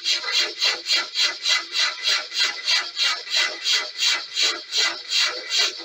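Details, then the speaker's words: Mk3 horizontal stationary Stirling engine with new mild-steel annular regenerator, lubricators and brass piston guides: rasping scrape about three times a second, in step with each stroke; owner suspects heated brass softening and gripping the steel. Piston slides binding. "I wonder whether the brass is actually heated up and starting to actually become a bit soft and like grippy with the steel"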